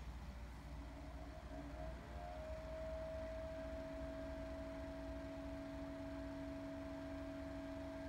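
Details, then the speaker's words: Two Opolar battery/USB fans running together, one pointed away from the microphone: two steady humming tones over soft airflow hiss, one settling higher after a couple of seconds; a haunting drone of unclear cause. Motor drone. "yeah that sounds kind of haunting like i mean maybe that'd be cool for i don't know a composition i guess"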